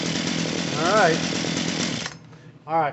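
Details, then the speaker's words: Poulan Pro PP4018 chainsaw after carburetor, fuel line and primer bulb replacement: raspy two-stroke buzz revving up and dropping off while the mixture screw is turned counterclockwise bit by bit until it stops bogging on trigger. "gain so that screw that i was talking about is going to go counterclockwise just a little bit at a time until it doesn't bog anymore when you when you squeeze the trigger"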